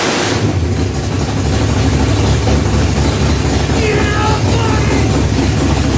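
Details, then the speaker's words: Chevy big-block V8 in a box Chevy, restarted after a rich first start, carburetor and timing not yet set: deep, steady, even idle with heavy low rumble and loud exhaust; runs healthy, just a bit loud. "Yeah, the bitch sounds good. A little loud."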